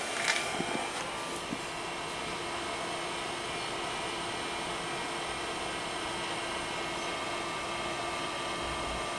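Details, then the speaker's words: Original Macintosh II with dead batteries, capacitor leakage and a stuck floppy, unknown hard drive just plugged in: steady, even hum with a constant fine whine on top and no ticking or grinding. Hard drive and fan spinning normally. "But the hard drive is an unknown, so let's see what happens. Well, it's spun up."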